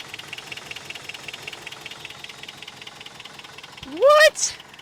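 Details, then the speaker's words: 1993 Toyota Pickup parked at least 10 years, reportedly for head gasket or timing chain issue: fast even ticking over a thin, uneven idle that never smooths; runs rough, owner believes blown head gasket. "oh it runs it's running rough but it runs oh definitely a blown head gasket"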